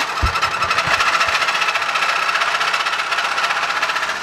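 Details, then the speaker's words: Petrol engine in a Civic with studs damaged, started on a fresh battery: hard, fast metallic jackhammer clatter; owner says it has really bad rod knock, severity unknown. "the engine's got really bad rod knock, so we really don't know how bad it is until we put the new battery in it."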